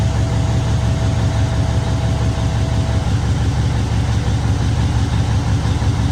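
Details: Truck diesel after an in-frame overhaul and injector replacement; a steady, even low idle rumble with no misfire, knock or stumble, oil, fuel and air pressure and alternator all good.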